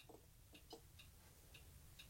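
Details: Skutt test kiln (40 litres) on its first firing, just started on a two-hour program: faint irregular light clicks in a quiet room, about six in two seconds. Relays are switching, but the elements never heat because the lid switch contact is open.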